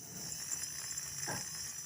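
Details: Small DC motor on 5 V supply after rotor removal and reassembly to cure very loud running noise; now spins with a steady, high, even whir and no scraping or chattering, normal running.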